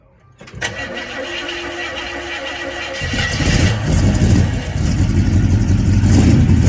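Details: Model A hot rod sedan first start after fitting hand-made stainless headers and exhaust, fuel poured into carb: cranks, catches within a second, settles into steady low rumble building as it warms; healthy, quieter than before.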